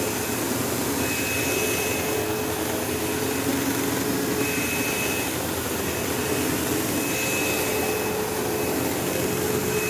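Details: 15-year-old, heavily used Sebo Automatic X5 upright vacuuming a living room: steady motor roar with a thin intermittent buzzing whine, occasional belt-slip-like squeal; belt had tension, owner wonders if it needs a belt, brush roll vibration suspected, unconfirmed.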